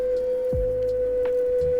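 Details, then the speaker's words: Glion DollyXL electric scooter climbing hill in high mode near 10 mph: loud steady high-pitched whine hitting a resonant frequency; motor straining under load. "That is deafening. Oh, there's the resonant frequency. That sounds horrible. Wow, what a loud scooter."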